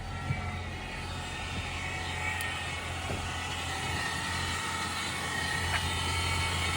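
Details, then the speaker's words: 2018 Ford Fusion Hybrid with HF35 transmission at 127,000 miles, started and parked, heard from inside: steady high-pitched squeal over a low hum from a failed transmission stator bearing; the transmission was replaced. "So, you hear that? That is the failed stator bearing."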